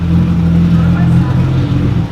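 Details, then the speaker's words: Nissan 350Z with no exhaust fitted, so very loud, due full maintenance (MAP sensor clean, oil change): deep open-pipe idle whose drone wavers and turns uneven near the end; rough idle, cause not yet found. "the car is idling kind of weird we got to do a full maintenance work on it we have to clean out the map sensor do an oil change pull it flush all that good stuff right now idling a little weird you guys can kind of hear it"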